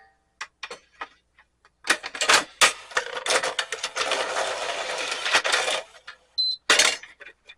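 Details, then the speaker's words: National DP-350/800/930 VHD player after cleaning the dried-up loading belt by the worm gear: light clicks and smooth whirring as the tray mechanism cycles repeatedly, no slipping or straining; issue looks resolved, loading drive healthy. "okay so that issue looks to be resolved"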